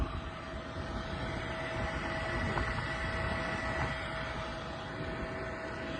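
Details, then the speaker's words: Trane 20-ton packaged rooftop unit, newly installed replacement inducer motor that replaced a noisy failed one: a steady, even whir with no rattle, scrape or wobble. It runs normally, though ignition later fails from a bad igniter. "Motor just kicked on. Sounds 10 times better than the old one."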